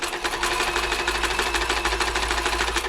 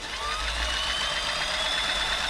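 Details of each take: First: Toyota model 2640 sewing machine before service, never serviced or cleaned, fluff not removed, quick run after new plug fuse: noisy fast rattly clatter about three beats a second over harsh dry hiss; dry unlubricated mechanism. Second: you can probably hear it's actually a lot quiet already the microphone pick that up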